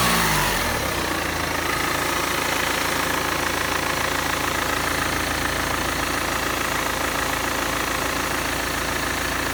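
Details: BMW E46 320d 110 kW diesel idling with an odd, steady rhythmic clatter of about three to four knocks a second.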